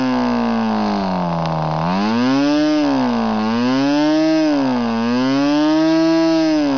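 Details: Norvel .061 RC model engine converted to diesel with a custom head, running an 8x4 Cox grey prop: clean buzzing run, pitch wandering gently with prop speed, no misses or knocks. Normal running.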